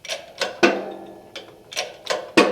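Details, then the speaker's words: Sharp, uneven pops, about seven in three seconds, sharper as a motorcycle crankshaft is pressed together further in a modified shop press; popping mostly at the start of each pump, now far more controllable after reinforcement. "when we first start out you'll hear it pop but then it's smooth for the rest of that pump so if you're trying to get it closer without it popping it does pop a little more as you get further in because it's getting"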